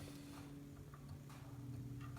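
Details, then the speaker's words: Small Arduino CNC router axis run: irregular dry clicks every half second over steady stepper hum; not heavy, but the bearing causes the clicking, suspected of interfering with performance; later fixed. "Aqui não está pesado, mas esse estralado que está dando é o rolamento que está fazendo. Eu acho que isso está dando alguma"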